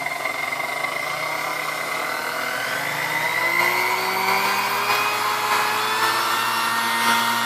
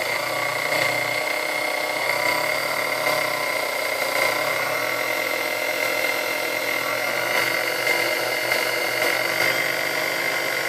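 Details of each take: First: Chrome Sunbeam Mixmaster Model 12 motor during servicing, steady whine creeping upward in pitch; speed range goes just past 10, so the speed control needs adjusting. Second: Chrome Sunbeam Mixmaster Model 12 motor after service and maintenance: steady high whine with even hum, no grinding or rattle, runs smoothly; speed range reaches just past 10, needing slight speed adjustment.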